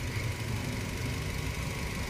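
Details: Nissan Almera with a cranking no-start, weak fuel pressure traced to the fuel pump. Steady, even low rumble with no misses, knocks or hunting; the petrol engine idles smoothly.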